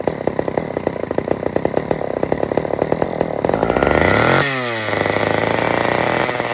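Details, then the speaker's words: Old Sears Explorer II chainsaw during carburetor tuning after cleaning: sharp uneven popping at idle, then surging and sagging with wandering note; runs rough, badly needs carb adjustment, muffler also loose. "is not normal at all I got to definitely adjust this really really really good"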